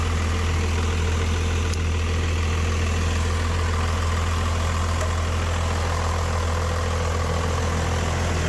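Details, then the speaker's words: Rebuilt 5.9 Cummins diesel pickup swap idling just after a cold, jump-assisted start of about 8 cranks with no starting aids; steady low idle with even clatter, no misses or knocks, idling normally. "All right, well, we got her going, man. Took a little jump. What did it crank? About 8 times before it really took off."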